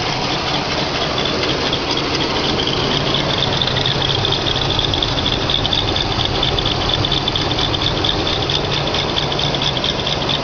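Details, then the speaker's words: 1978 Mercury Marquis 351 V8, off the road for many years, cold on fast idle: a high, uneven idle with a loose, rattly, tractor-like top end that is not the belt, plus some smoke; the owner says the idle smooths once warm. "that's not the belt that's making that noise sounds like it's tractoring almost right here"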